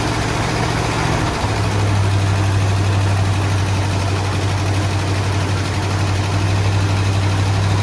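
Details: 1972 Ford F100 XLT Ranger V8 stored about 15 years, started by bypassing the coil with a jump box (no key): low rumble settling into a steadier idle after a second; rough idle after long storage.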